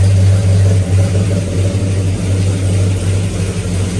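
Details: Circa-1970 Pontiac GTO V8 with new 2.5-inch aluminized exhaust after the spark plug wires were reoriented: deep, even idle with steady pulses and no misfire stumble; timing about 10–12°, about where it should be.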